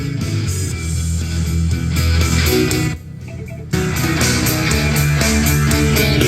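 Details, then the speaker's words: Marshall Emberton speaker after repair, which previously popped and shut off at full volume (charging now normal at 1.5 A): loud music at full volume plays on without cutting out apart from one brief quieter stretch; the speaker holds full volume normally. "ครับผ่านครับนะฮะเพราะของลูกค้าตอนแรกมานี่คือเร่งแป๊บเดียวอ่ะเร่งปุ๊บดับปั๊บเลยนะครับ"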